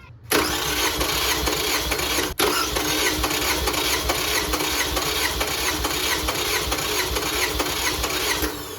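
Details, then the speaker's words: 2005 Toyota Camry LE 2.4 2AZ-FE, oil burning, compression test with EFI relay pulled and plugs out: steady starter cranking with an even beat about two pulses a second; cylinders around 150-155 psi, consistent compression. "Around 150. Okay, let's try number 4. 150 about. So it's consistent."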